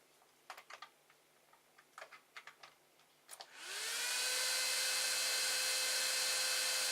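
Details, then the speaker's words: 3D printer enclosure, AMD CPU heatsink fan cooling the 24V-to-12V buck converter: a few clicks, then a loud steady airy whine with clear tone; this CPU fan is the noisy one, to be replaced with an 80mm Silent 8 fan. "as you see that is this fan under here it's a CPU fan"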